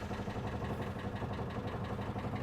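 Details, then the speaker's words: Land Rover Defender 110 diesel at idle, 118k on the odometer with a new propshaft fitted: a light metallic rattle on each firing beat at the rear, the exhaust knocking on the mud flap; a rubber spacer is the planned fix. "So, you can hear that rattle at the back. That is the exhaust. It's quite annoying really because it's just sat on the mud flap."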